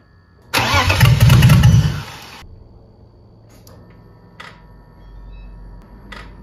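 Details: BMW E30 330i on its first start, once the reversed fuel pump wires were corrected: brief crank, then it catches strongly and settles to a quiet run; normal healthy start.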